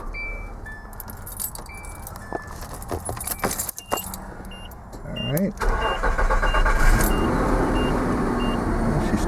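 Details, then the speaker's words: 1995 Nissan D21 pickup after replacing the ignition starter switch (new starter and clutch switch already fitted; previously intermittent buzzing no-start): keys jangle, short crank, engine catches cleanly into steady idle; starting problem fixed. "see that's that's what it's supposed to do okay well there you go guys there was the issue I think that has fixed it"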